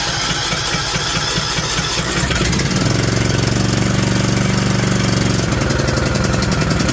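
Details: John Deere D120 mower with 21 hp Briggs engine, after no-start repair, started on choke: brief crank, catches and settles into a steady, even low idle with no misses or knocks; starting and running normally.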